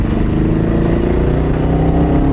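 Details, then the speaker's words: 1992 Honda Civic revving hard while racing, now running badly: a lumpy, uneven note under a steady drone, as if missing a cylinder; misfire suspected, not confirmed, and the car can no longer pull its weight. "The car is not running well anymore. It's not running right. I feel like it's missing a cylinder."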